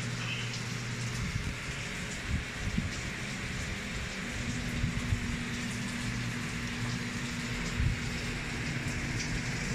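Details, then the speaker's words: Samsung automatic washing machine with 4C error, after repair: strong steady rush of water filling, no sputter, where before it only trickled weakly; inlet now fills normally. "yan so Ayan lakas na ng tubig niya So kanina hindi ganyan yan kanina parang ihi lang ng pusa na pakonti-konti"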